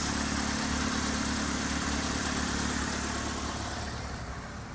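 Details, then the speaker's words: Saturn after removing rubber from the throttle blade, hose reconnected: settles into steady smooth idle with even low hum, no stumble, hunting or knock; running healthy. "okay we got one working car thank God the Accord may be dead but this one works we'll see how well it works"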